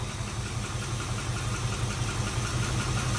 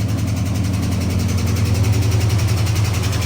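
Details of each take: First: 1970 Dodge Charger, 4-speed conversion, after first startup and a drive: even low idle, slightly rich, no misfires, lifter tap pretty much gone once oil pressure came up; a normal idle. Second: 1970 Dodge Charger V8, converted from automatic to 4-speed, first startup, on an electric fuel pump and a jug of gas, carb untouched: a light, quick, steady lifter tick over the idle, a sticky lifter, no misfires.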